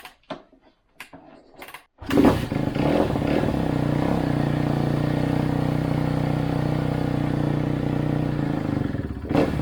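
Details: 2011 Kawasaki KX250F four-stroke single, kick-started after an idle-issue repair. Steady but slow, loping idle after a few blips. Idle adjuster is fully out and idle is still slightly too low, though much better than before.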